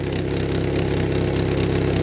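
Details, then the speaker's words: Vauxhall Vectra idling after a new exhaust flexi section was fitted: rough, puffing rasp on every exhaust pulse; exhaust blowing badly at the flexi joint. "Oh yeah, it's blowing really badly there. Oh, that's it actually."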